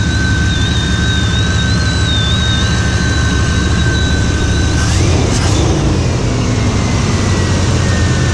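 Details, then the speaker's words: 1995 Chevrolet Suburban K2500 with 5.7 TBI, after a water pump change: loud steady high whistle from the engine bay that bends upward briefly with a rev; owner suspects intake whistle, unconfirmed. "Sounds like maybe intake. My intake whistle."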